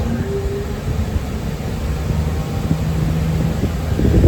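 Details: Walk-in cooler condensing unit after the contactor pulls in, box down to 38 from 48: a constant low hum from compressor and fan with no rattles, squeals or short cycling. Running normally.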